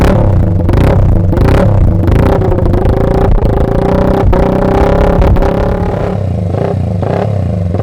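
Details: Fully restored 1979 Honda XR80 four-stroke single, fired up after restoration, fuel in tank unknown; revs up crisply and settles back with a deep, even exhaust growl, nothing irregular; normal running.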